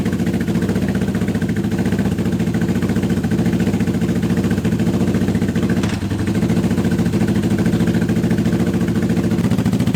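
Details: Honda CB750 K-series project bike at its first start in years, on unleaded petrol after a fuel blockage, with a bit of choke: lumpy, loping idle running on only two of four cylinders. Owner is surprised and had expected the coil; numbers 4 and 1 both work.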